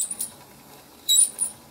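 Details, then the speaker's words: Ibili five-blade manual rotary shredder grating cheese: short high squeaks in bursts as handle turns, quiet gaps between; dry squeaky drum, later oiled. "oh it's got to stamp to make sure it turn You' been able to turn it a little squeaky but not too"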